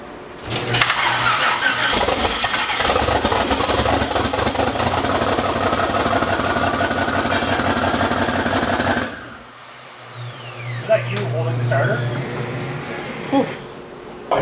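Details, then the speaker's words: Engine after flipping bracket and correcting swapped wires: fires and runs rough and loud around 1200–1400 rpm only while starter turns, cutting out dead the moment it's released; cause not yet found. "it's just weird that like as soon as you let up off the starter even if the car is running at 1200 rpm it just dies"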